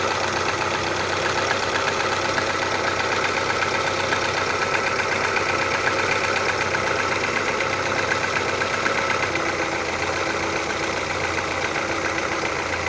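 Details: Fast, steady knocking of about four per second over the idle of an Audi 80 B3 1.8 engine, regular throughout; internal engine knock of unknown origin.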